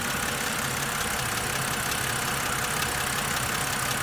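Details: 2008 BMW E90 with N52 petrol six at idle: light, quick ticking from the top end over a steady hum; suspected lifter tick, not confirmed.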